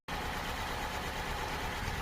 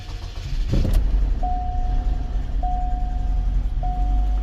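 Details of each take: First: Chevy Cobalt SS idling after an engine replacement, with a slight misfire that the scanner places at fuel injector 3 (cylinder 3). The idle has an uneven, lumpy low-end beat from a cylinder not firing. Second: Chevy Cobalt SS after an engine replacement, idling steadily with three dash chimes once the cylinder 3 injector misfire codes were cleared; it runs much better but is low on old fuel, smells rich, and the check engine light is off.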